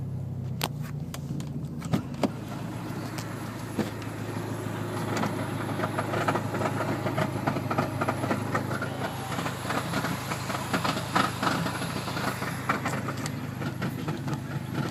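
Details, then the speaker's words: Dodge SRT4: fourth gear was forced in during a race, and the noise has been there ever since. It gets louder above about 3,000 rpm and when revved. Uneven rough grinding rattle under the engine while driving; suspected transmission damage. "But I was racing somebody, and my fourth gear didn't go in, so I made it go in. And ever since that, my car's been making this noise."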